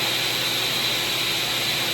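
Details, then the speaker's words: SawStop table saw, bought used, running on a 20 amp circuit after power-up self-check shows green: normal running sound, working fine. "There you go. 20 amp surface working fine."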